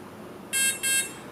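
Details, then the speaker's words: Align RCE BL80X/BL50X ESC in transmitter programming mode: two short shrill beeps from the motor signal the electronic timing menu; stick set to middle for default mid timing. "now we're going to hear two beeps electronic timing"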